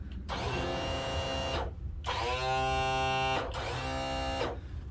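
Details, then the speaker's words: Yamaha F350 outboard on a Pursuit boat: three short bursts of trim pump motor whine with no trim movement; suspected seal leak and loss of all fluid, not confirmed. "well that one i can probably tell you since the motor's spinning it's got a seal leak or something and it's lost all of its fluid"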